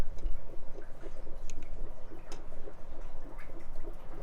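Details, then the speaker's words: New Holland T7 235 tractor service, just after the fuel filters were swapped and the water sensor refitted. Recorded with the mic in the fuel tank while priming with the plunger, each stroke gives a soft rhythmic trickle and gurgle with no air sputter; normal fuel return flow. "So it's priming the system up now, which is the plunger there. I don't know if you can hear in the tank."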